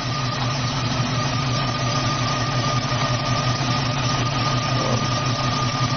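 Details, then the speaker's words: Jeep with Dodge/Jeep 4.7 V8 idling with misfire, number one cylinder dead, after swapping in a spare coil: uneven stumbling low thump persists; owner says it sounds deeper than a coil problem. "nope sounds a little deeper than a coil"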